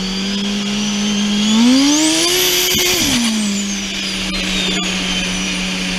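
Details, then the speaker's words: Twincharged engine, day two full-throttle runs, boost creeping past limit even on wastegate spring, about 20 psi: screams up, then sharp pops and cracks as it hits boost cut; knock found earlier and fixed, conservative timing. "it was hitting boost cut like crazy when you hear that popping so um a lot of boost"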